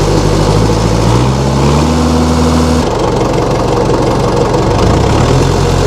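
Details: 1960 Massey Ferguson FE35 4-cylinder diesel tractor, after sitting long in a paddock: steady idle chug, pitch rising then dropping back, no knocks standing out; healthy running engine.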